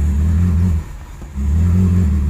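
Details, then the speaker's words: Cadillac DeVille 4.9L (model year given as 1985 or 1991), complaint of no power, rough idle, starts then stalls, on a hot day: deep drone sags and nearly dies then struggles back; sounds fuel-starved, bogging. "it's running oh that sounds like it doesn't have any fuel guys"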